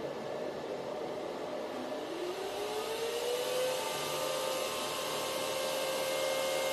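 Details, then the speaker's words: Antminer L3+ Scrypt ASIC miner with replacement fans front and rear, running five minutes on stock factory settings: steady smooth fan whir at an even tone, no rattles or bearing noise, way quieter than the original fans; normal running. "this is the level of noise you're getting from the miner it's way quieter than before uh compared to the spot the original the original fans"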